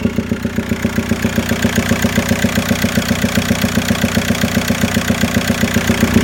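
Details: VW Golf Mk4 TDI PD150 ARL diesel at idle, noise mainly from airbox area: steady sharp knock about 2.5 beats a second over rough idle; also low power, mixed smoke, boost dropping above 3k rpm, heavy breather and dipstick blow-by; cause undetermined.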